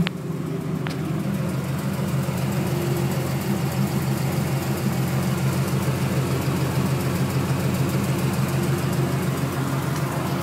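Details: 1996 Camaro Z28 LT1 V8 at steady idle with light fast ticking about three per second from the top end; valve train suspected, owner wonders about valve adjustment, unconfirmed.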